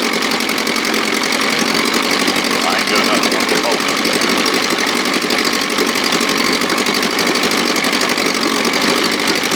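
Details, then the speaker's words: 1957 Montgomery Ward Sea King 5 hp two-stroke outboard, no fuel pump, gravity-fed from a tank on a ladder, throttle in start position above idle: fast, even buzzing firing, steady with no misses or stumbles. Running normally and smoothly. "And it was running out of gas pretty damn fast. She sounds sweet. Sound good. Doesn't it sound sweet?"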